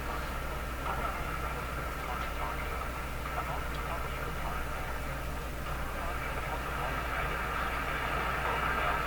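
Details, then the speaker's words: Canadian Philco 409 (46-350) portable tube radio, restored, tuned near 680 while checking the dial pointer: a steady ringing whistle hangs over the hiss and lingers rather than dying away. Microphonic feedback suspected, possibly from the output tube. "Wow that ever microphonic and i think its feet like feedback so it's it hangs on it rings for a while"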